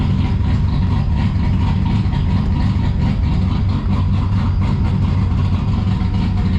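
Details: Turbocharged V6 Ecotec drift car on one of its first and longest runs, burning off smoke: steady, deep, choppy idle with an even cam lope and no knocks; an exhaust rattle stopped once the electric cutout was switched.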